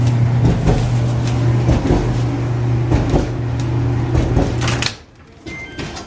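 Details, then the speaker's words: Kenmore dryer running with the door open and switch held: low motor hum with loud, uneven thumps each drum revolution, from a cracked drum. "As you can see, it's made by Kenmore, and this customer's complaint is that it's making a lot of noise, thumping noise."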